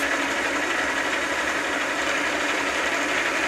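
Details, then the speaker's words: South Bend lathe nylon change gears lubricated with 600-weight oil via a grease-gun pump; even whirring with only light irregular ticking, no grinding or whine, quieter each pump; normal gear train running. "it's working good now though every time I pump it it makes it quieter"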